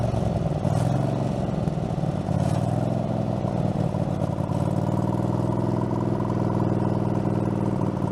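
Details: Craftsman garden tractor, Kohler engine (badged 22 hp, possibly 18 hp), after mower deck blade spindle replacement, no play in spindle: steady low drone with blades engaged, even and smooth, no knocking or wobble; deck healthy.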